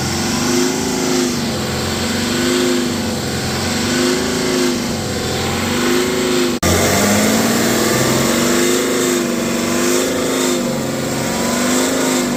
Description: BMW X5 40d (N57) makes a strange loud resonating/vibration-like noise around 3000 RPM.